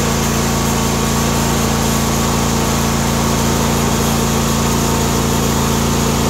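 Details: John Deere D130 mower V-twin after ignition coil replacement: loud, even drone with a regular firing beat and no misses or rattles; runs smooth and healthy.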